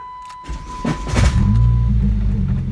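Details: Dodge Caliber SRT4 with rebuilt engine and upgraded ACT clutch, warm restart after short drive: harsh grinding crank over a second before engine catches; OEM starter failed, owner thinks internal bearing, flywheel also damaged.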